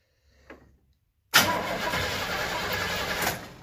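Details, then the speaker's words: 1977 Chevy Camaro, engine cranked with a remote start button wired to the battery positive: starter engages sharply and spins the engine briskly and evenly for about two seconds, no dragging or clicking; healthy cranking. "oh that's a good sound that's a good noise that's exciting"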